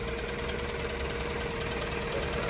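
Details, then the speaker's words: Rover Streetwise with K-series engine, just started after a battery replacement and long standing: steady idle with a faint quick ticking knock that calms slightly; fresh oil planned. "she's is doing a bit of knock in although she's actually calmed down a little bit there"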